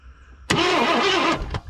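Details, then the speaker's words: 1984 Ford Thunderbird 5.0, sat 10–12+ years: starter spins briskly with wavering churn but never fires; no fuel pressure or delivery, so crank no start. "keep going oh all right that answers a lot of our questions have no fuel coming so car running and starting all by itself is uh nolan void not gonna happen"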